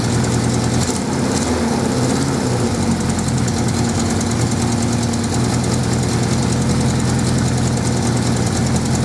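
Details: 1979 Suzuki GS550E four-cylinder just started after about five years laid up, on old fuel, choke on: occasional irregular pops over the steady idle beat; carbs not blocked as feared, slightly uneven running, probably needs a tune-up.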